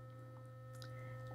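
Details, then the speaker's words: Sonicare HealthyWhite+ electric toothbrush running: steady even buzz with low hum and fixed higher tones, no pulse or tone change at the timer point; owner suspects the timer was switched off in settings. "seconds into this you'll hear it change tone for a second well it didn't change town and that must mean that I when I was playing around the settings I must have turned the timer off"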